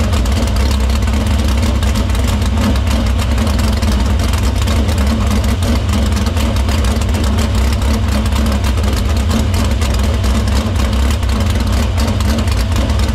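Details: Dirt Silver Crown race car fired in the shop after a fuel-cell line fix, filter cleaning and fuel routed through the pump and main lines to the barrel valve. A loud, deep, steady roar holds over ten seconds without stumble or surge. Fuel system checks out: normal running.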